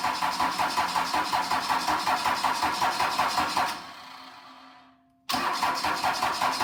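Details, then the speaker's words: Cummins 4BT diesel, first start attempt after refuelling and hand-pumping air from the fuel system: steady cranking, pause, more cranking with no catch; some combustion smelled, oil flowing; injectors may need bleeding; cranks but will not start. "looks like we may have to do some bleeding on the injectors but obviously the oil started to flow and we did start to to get some combustion out of it I can smell it and you could hear it start in the hip"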